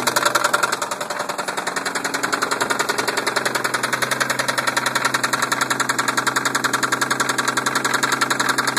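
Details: 1990 Toyota Supra Turbo 5-speed idling with a sharp, regular, fairly loud ticking knock at about 214 per minute; engine knocking, cause not determined.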